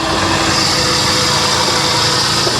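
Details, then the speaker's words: Salvage-auction car idling under the hood, engine bay wet at the back; loud hissy high-pitched whir over the idle from a belt-driven accessory, unit not identified, owner hopes it is only an accessory. "Okay, so there's an accessory over here making a ton of noise. That's for sure. Hopefully it's an accessory."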